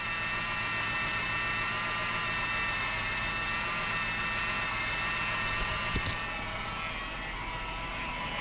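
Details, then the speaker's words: 2001 Ford Taurus with a new power steering pump, started with the reservoir cap off while bleeding air from the system: steady high-pitched squeal over an even idle; power steering squeal, cause not confirmed. "start it up and hopefully maybe I can fill it up there we go got the diesel Creek squeal going on"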